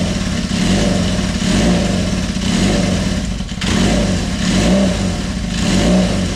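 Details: Kawasaki KZ400 running on choke a week after head gasket leak repair: steady running with slow rev swells roughly every two seconds, no knocks or misses; normal running.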